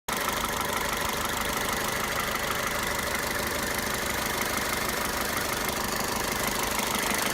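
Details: Toyota 1.8 VVT-i petrol engine at idle: light, busy ticking chatter over a steady hum; abnormal engine noise, cause unclear.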